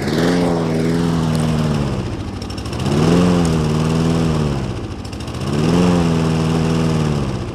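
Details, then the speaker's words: Toro Recycler push mower, weak power: engine speed swells and sags about every two and a half seconds, steady surging; attributed to lack of air through air filter or a vacuum hose, other fault being fuel starvation causing stalling. "it will sound like it will cut off like at the uh it sounds like up and down up and down so that means it's got two problems"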